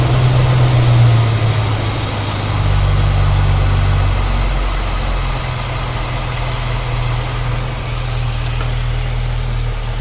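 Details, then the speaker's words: 1965 Ford Mustang 289 V8 at idle after Edelbrock carburetor fix, heard from the rear exhaust: deep, steady, even burble with a fuller beat, now sounding like a healthy 289 instead of idling on a few cylinders; normal idle. "see not sure whether you're picking this up on my mic or not but now it actually sounds like a little 289 shirt"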